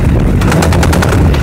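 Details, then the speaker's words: Honda CBR1000RR, small knock at start, huge knock from engine only in 3rd gear (4th–6th fine): loud rapid hammering about eight hits a second; broken 3rd gear tooth blamed on quickshifter use. "when we start the bike there is a small knocking sound but when we ride the bike Once you turn in into third gear there is a huge knocking sound coming from the engine"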